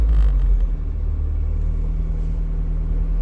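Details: Warmed-up Porsche 924 Turbo coasting off throttle: deep, smooth, even rumble with no knocks or misses, running lean off throttle as expected; normal.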